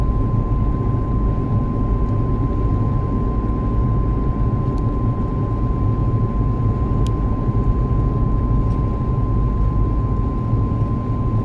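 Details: At about 70 km/h a loud whine sits at a fixed pitch over the road rumble. The dealer could not hear it, and the cause is unknown.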